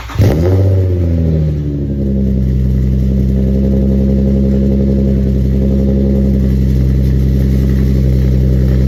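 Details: Cold start of a G35 coupe V6 after an exhaust leak repair: it catches at once, flares briefly, then settles into a steady, deep idle with a sealed exhaust.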